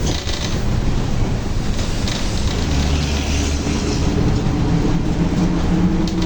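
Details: Torino S bus, Volkswagen 17-230 OD Euro V chassis, while driving: a heavy low droning roar under the bus with a faint hum creeping in near the end, from a worn differential that is howling loudly.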